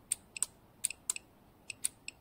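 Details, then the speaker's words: Jeep Cherokee XJ fuel pump relay bench-tested by feeding 12 V to the coil terminals (including 85) with a power probe; sharp crisp clicks in pairs show the coil works and the relay is good. "Clac, donc on entend bien la bobine qui claque, donc ça veut dire que le relais est bon."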